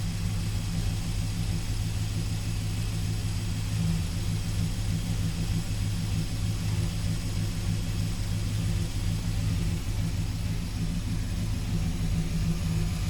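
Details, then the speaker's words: 1971 Dodge Sweptline big-block V8 after carburetor rebuild and power valve fix for fuel filling crankcase: steady, even low rumble at idle with no misses, hunting or stumbles, no more smoke out the back; normal idle. "I'd have to say, with that power valve, sure does sound good now. No more of that smoke bellowing out the back."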